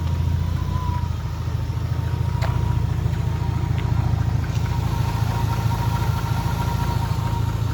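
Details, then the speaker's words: 1993 turbo BMW 325i drift car at idle: a thin, steady high whine over a rough, lumpy rumble, which the owner attributes to the alternator. "Yeah, so I don't know if you can tell from the video, but the alternator is definitely whining a bit."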